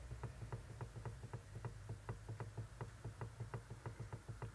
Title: 1/2 Ťukání v řízení Toyota Prius III. & Lexus CT200h Hybrid !!READY!! Steering Rattle Noise Knock